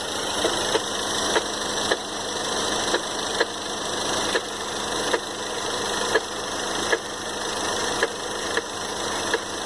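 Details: 2013 Ford Fusion 2.0L EcoBoost at idle: sharp ticking knock about twice a second over an even idle hum, steady and regular; engine knock at idle, cause not yet found.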